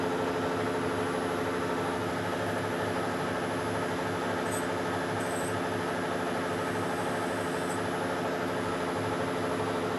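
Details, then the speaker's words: Weiler Matador SV (1972) lathe machining a generator motor coupling, after turning the cutting insert following a bad-sounding cut; steady, even machining hum without chatter, a smooth normal cut. "okay better now okay yeah it's a really smooth so now what"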